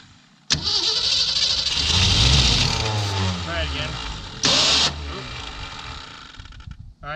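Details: 1966 Ford Mustang, thought to be flooding, started with starting fluid: it cranks, catches and revs briefly, then sags and dies, followed by another short burst of cranking; it won't hold an idle. Cause unconfirmed.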